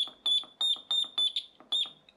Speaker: original one does still work but I can't hear it if I unplug that some of you youngsters might be able to hear X is very high-pitched but if I put this in it drops the frequency and I can hear it